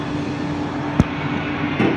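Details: Steady whooshing drone with a constant mid hum, no knocks or rattles; the exhaust vent fan in a commercial kitchen (near Alto-Shaam ovens and dishwasher) runs normally.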